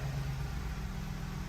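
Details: Ford F-150 5.4L 3V with fuel trims reset and relearning: starts nicely into a smooth, even V8 idle with a steady low rumble and no popping, stumbles or misfires.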